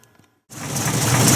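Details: 1950 Buick Roadmaster after distributor repair that ended the distributor cap wobble; engine catches after a short silence and settles into a steady, even idle with no misses or rattles; running right.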